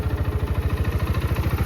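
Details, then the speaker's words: GPX Raptor 180, 2021, about 8,000 km, stock exhaust, started first try: even quick putter about ten pulses a second with no knocks or rattles; engine quiet, no vibration, normal single-cylinder idle. "เสียงเครื่องเงียบนะครับผมไม่มีสั่นครับ"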